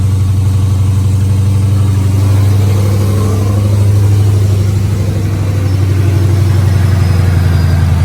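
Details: 2011 Mustang GT 5.0 Coyote swapped into a Fox body on a built AMS Racing forged bottom end with stock heads and cams, first fire-up after the swap: deep, even V8 burble swelling smoothly with throttle and settling cleanly, no knocks or ticks, with strong oil pressure; healthy engine.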